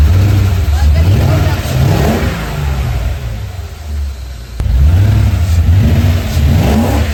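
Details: BMW E34 540i V8, first start after two years, after new flywheel and clutch: deep, smooth rise through two throttle blips, settles back evenly to idle, no knocks or misses; engine healthy.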